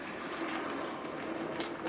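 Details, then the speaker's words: Model locomotive Sir Walter Scott running after repairing a split axle gear that caused a clunking noise: even light whir, no rhythmic clunk, runs smoothly. "but I hope you've got the general idea and you get what it's all about and that runs absolutely fantastically"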